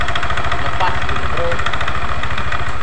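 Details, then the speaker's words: Yamaha NMAX scooter at idle: light, uneven metallic clatter like a con-rod knock; crank counterweight bearing checked tight; clatter found to come from too-loose valve clearance, with a loose CVT V-belt from worn roller housing and roller fan causing the roughness. "Keletak ya, seperti stang seker yang kena. Tetapi kita cek dulu untuk bandulnya ini tidak goyang rekan-rekan ya, masih span."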